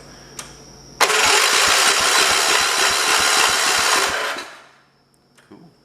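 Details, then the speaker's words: 1973 112 garden tractor with Kohler K301 single-cylinder, after head gasket replacement and valve adjustment, cranked with spark plug in: even chuffs on each turn for about three seconds; compression restored. "that's compression."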